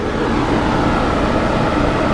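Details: Large Monarch lathe, spindle at 34 RPM with clutch engaged: only a smooth, even motor hum with no knocks or grinding; machine running healthy.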